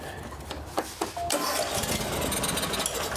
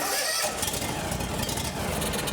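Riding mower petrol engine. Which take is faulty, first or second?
second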